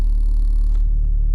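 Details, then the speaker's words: Dodge Dart turbo build after installing stiffer Deyeme Racing transmission mount, idle just after startup: deep steady droning idle with heavy low pulse felt in steering wheel; more idle vibration than before, said to be worse with AC on and only at low RPM. "It may make your car feel a little bit more vibrations at idle, sometimes especially when you turn like the AC unit on, but it's really only at the lower RPMs."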